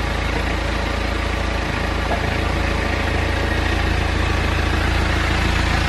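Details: BMW N47 diesel engine after timing chain replacement and reinstallation; earlier no-start was a flat battery lacking amperage. Steady, even idle with low rumble, no knocks or rattles; normal healthy idle.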